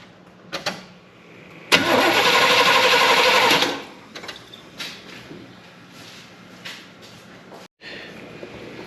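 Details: 1972 Chevy Impala parked for a severe misfire, with new points and rotor, distributor cap off, key bumped: two-second starter turnover with no firing; cranks but no spark from the points.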